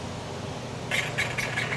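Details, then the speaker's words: Vehicle on shop alignment machine: five quick high chirps over low shop hum; intermittent squeak, source unconfirmed, mechanic guesses the turn plates not fully unlocking. "it just squeaks once in a while. Like the turn plates couldn't unlock completely or something weird."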